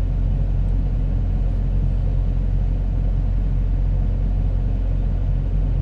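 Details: Komatsu PC70-8 excavator diesel after backup sensor replaced to cure hard starting; deep, steady rumble with even firing and no stumbling, now running normally.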